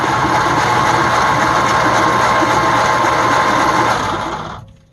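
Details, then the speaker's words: 1948 Ford F5 bus sitting 25 years, freed-up engine, old points, plugs and wires, carburetor still suspect, first crank: even whirring crank near four pulses a second winding down without firing; engine turns freely. "Let's cross our fingers and see if this thing turns over finally. Woo!"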